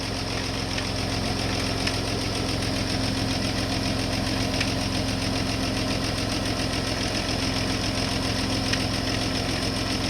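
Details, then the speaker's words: Rover KV6 V6 after oil change with 10W-40 semi-synthetic: steady idle with light, loosely regular rattle at a couple of beats per second from the top end; suspected inlet manifold issue, not internal metal, unconfirmed. "I was convinced that the rattling noise at the end he was making was not anything metallic on the inside of the engine"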